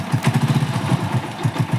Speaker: अब गाड़ी की जो टाइमिंग की आवाज आ रही थी वह नहीं आ रही है